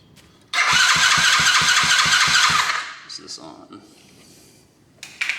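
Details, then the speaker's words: Coolster 110cc dirt bike first start on a new PZ20 carburetor, on choke: engine catches with quick even firing pulses about four a second for two seconds, then falls quiet; starts after carb swap. "Choke. That sounds weird. Oh, she didn't like that. Seems like that'd be okay."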